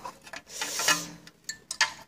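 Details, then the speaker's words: Ignition test after cleaning the spark plug on a small engine (moped/tiller type): sharp, irregular little clicks while the engine is cranked over show the plug is sparking and current is getting through the ignition. "vous entendez le bruit du petit clic clic clic clic, c'est-à-dire que le courant y passe."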